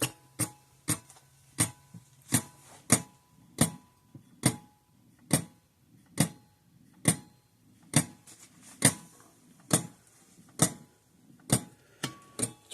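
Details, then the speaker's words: 50+ year old Sears 6V battery electric fence charger after its points were cleaned and blown out. It gives crisp, steady clicks a bit over once per second, pulsing normally. "and it should go clickety-clack just fine like normal."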